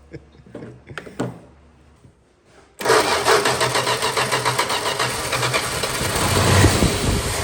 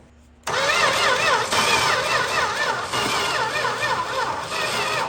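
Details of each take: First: 1961 Valiant six-cylinder with glass-pack exhaust, first start after sitting 30+ years, points sanded: short crank, then a loud, throaty, even idle with steady exhaust pulses; it runs well, normal idle. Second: 1961 Valiant six-cylinder that sat 30+ years, points only sanded and battery probably weak: starter churns at an even, steady rhythm for about five seconds with no firing; cranks but won't start, cause suspected not confirmed.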